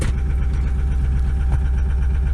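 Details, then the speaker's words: Ford F550 Lariat 6.0 PowerStroke diesel, manual, cold start with battery near 10.5 V: deep, lumpy, shaking misfiring idle; owner attributes it to very cold injectors barely running, smoking. "it's a little missy it's not look cup holders kind of shaking kind of sounds like uh shit's about to fly out of the engine she definitely is not sounding happy"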